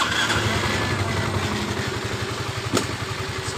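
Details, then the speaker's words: Yamaha Mio M3 125 with weak power: with the key off, the starter spins and cranks as soon as the battery is connected, and the fuel pump also hums continuously with the key on. "ketika kita memasang di bagian akinya motor ini langsung hidup di bagian elektrik setirnya seperti ini itu sesuai keluhan dari pemiliknya"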